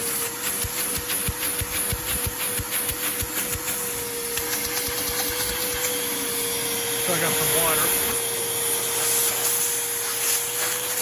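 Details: Porter Cable 4 gallon shop vac found in the trash, after repair and cleaning, switched on with no suction load: handling clicks, then steady even mid-pitch whine over airy hiss; healthy motor.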